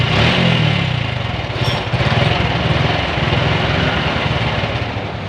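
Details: Honda Revo motorcycle with a crackling noise in the engine: small single running unevenly with a dry crackling rattle on the exhaust beat, caused by a worn camshaft bearing that must be replaced and engine top position reset.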